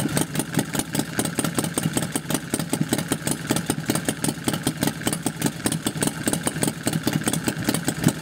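Steady, slightly uneven thumping exhaust pulses at a relaxed idle, no knocks or rattles on top; the motorcycle sounds healthy.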